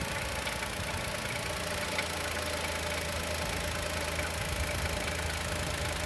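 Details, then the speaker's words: 2020 Chevrolet Onix naturally aspirated, about 4,500 km, cold idle: fast light ticking knock that continues with clutch pressed, so not the clutch bearing; owner suspects piston pin or lifter and expects it to stop when warm. "Olha, o barulho não para, não é rolamento de embreagem. Pode soltar. Quando ele esquentar que o pistão dilatar, ou o tucho carregar, ele vai parar."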